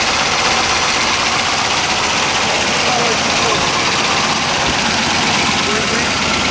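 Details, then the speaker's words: Original 1968 Camaro Z28 with a 302 DZ-block V8, solid lifters, steel crank, about 40,000 miles: even, smooth idle with a quick, crisp valve tick on top; normal solid-lifter clatter from a healthy engine. "solid lifter crank this baby up running smooth and sweet"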